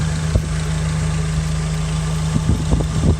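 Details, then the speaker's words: Nissan S14 Silvia with a freshly built SR20DE+T, warm after a test drive: steady, even idle with a smooth low drone and no ticking or knocking. Dry underneath with no leaks, smoking has stopped. Normal idle. "dry underneath the motor stop smoking it's not ticking yeah things look ok"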